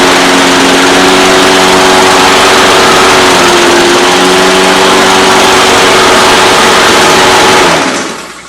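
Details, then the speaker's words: Husqvarna AWD mower with Honda GCV190 engine, previously wouldn't start, after new blade adapter and bolt; even high buzzing run for several seconds then shut off, no stumbles; normal running. "Okay, there she is. Everything should be good to go."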